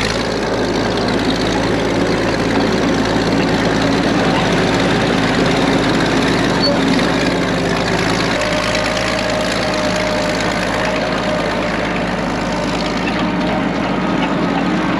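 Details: Late-1940s/early-1950s Caterpillar D6 cable dozer, a barn find just revived after years sitting: the big diesel idles with a steady, even low chug, about three beats a second, no knocking or hunting. Normal idle.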